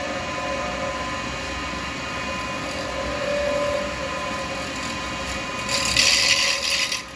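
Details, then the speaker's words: Acrylic pen blank with beads on a wood lathe, cut with a 12mm round carbide chisel; steady cutting hiss breaks into harsh high-pitched chatter as the thinning blank flexes against the tool. "that noise you don't want that noise [Applause] see what it says It's Getting Thinner it's flexing a bit"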